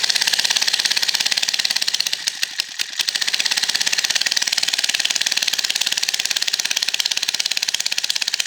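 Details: Late-1960s/early-1970s Italian Aspera Motors garden tiller, Tecumseh-licensed single-cylinder engine with Dell'Orto carb, after sitting for years and some minor parts replaced: a steady idle with a crisp, even exhaust beat and no knocking. It runs healthy.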